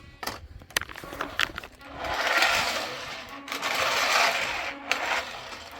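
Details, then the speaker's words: Power Craze Drift Master toy RC car after repair, batteries reinstalled: quick bursts of high gritty whirring as drivetrain spins up; gear noise the other unit lacks, owner expects rear-axle gear to fail and plans to swap the axle. "Yeah, you hear the gears? The other one doesn't have it. But once this gear actually fails, I'll swap out the rear axle."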